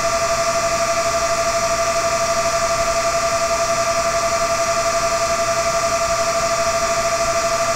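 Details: Dell CS24-SC 1U server (dual Xeon L5420, 12GB RAM, ESXi 5.0) with two of four 40mm San Ace fans removed, under Prime95 full load: steady, loud high-speed whir with two clear whining tones; fans spun up normally.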